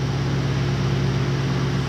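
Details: Grand Marquis 4.6 V8 after rebuild and 5-speed manual swap, first start idling; steady even low rumble with no knocks, ticks or misses, running smooth; normal idle.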